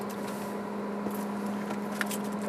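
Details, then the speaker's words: New Traeger PTG portable pellet grill, initial start-up with switch on and dial at smoke: quiet steady blower hum with no scraping or wobble over faint clicks; fan starts and runs normally. "and the fan goes on. You should be able to hear that."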